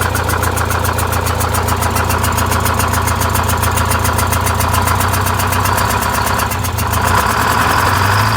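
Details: Vintage Scenicruiser bus diesel with the bad cylinder bypassed, idling while the automatic transmission fluid is checked with the fan off: low steady thumping idle that lopes slightly, running on seven cylinders.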